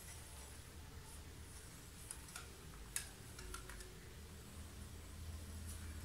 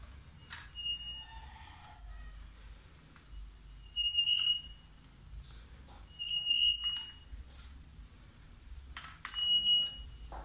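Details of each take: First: Italika motorcycle front wheel turning quietly after the front wheel noise fix, which involved tight Allen screws: only a low rumble and a few light clicks, no squeal, and it brakes well. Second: Italika motorcycle front wheel turning: sharp, high-pitched squeals in repeated bursts; owner suspects glazed brake pads, to be cleaned and sanded.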